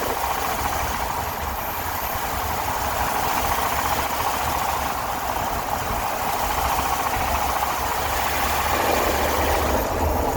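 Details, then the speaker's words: Dodge B350 van engine after a new oil pressure sending unit, oil pressure good: steady fast ticking over an even engine note with a low rumble, in first gear up to about 10 mph; owner suspects the valves. "it's just uh kind of ticking sound um in first gear sort of as i i get up to about 10 miles per hour"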